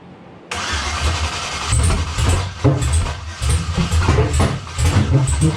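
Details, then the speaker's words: LS V8 after fuel rails were drained: it cranks, catches, then bucks and stumbles in uneven surges, popping and running very rich instead of idling smoothly. Injectors spray in sequence and the coils spark. Owner suspects cam timing is off. "We're still bucking and popping. It's not smooth. It is definitely very rich. Very, very, very rich."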